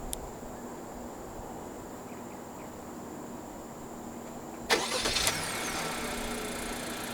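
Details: Malaysian-spec 2022 Honda HR-V 1.5 Turbo E, 1.5 L L15C3 turbo petrol with CVT, remote engine start via key fob: quiet, then a quick crank catches cleanly and settles into a smooth, even idle; healthy start.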